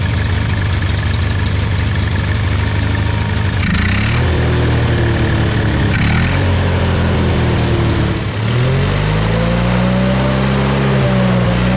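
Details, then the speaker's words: Hobart welder generator from a scrap yard, unused for many years, after replacing the main and idle jets and a new gasket: steady low petrol engine idle, brief dip near eight seconds then even beat; normal idle. "we're gonna do is fire this thing up and uh listen to it run i've never heard it idle up or idle down electronically"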